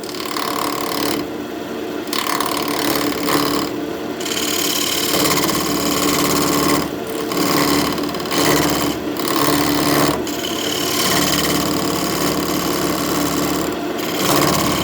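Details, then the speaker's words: Wood lathe, parting tool cutting an oak newel post cap off a still-square glued-on sacrificial blank: harsh, rapid hammering chatter in bursts as the tool hits the square corners, easing between passes; interrupted cut on unrounded stock. "You can hear that chatter, that's where we're cutting those square corners off."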